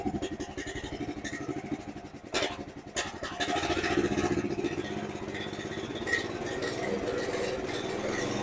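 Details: 2005 Chuck Wagon 4x4 UTV with Honda GX390 single after head gasket, valve lapping and main jet replacement; idle pulses unevenly about four beats a second with stumbles, idle screw adjustment makes no difference, owner suspects misfire; rough idle.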